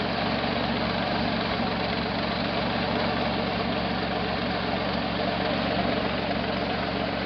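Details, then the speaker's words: 1968 Jeepster Commando with Buick V6, about 100°F ambient: steady, slightly lumpy idle with an uneven pulse and a mechanical noise, one cylinder missing now and then; back cylinder suspected, cause not found. "There's something making a mechanical noise and it does feel like it's misfiring."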